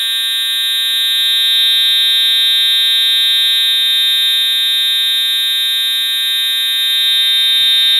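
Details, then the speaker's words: EST Edwards Integrity 757-7A-T horn strobe, jumpers set to continuous tone at low volume, horn and strobe tested together: loud steady buzzing horn holding one unbroken tone, no coded pattern; normal continuous horn tone. "that's really loud thank God I do the hearing protection on my ears now"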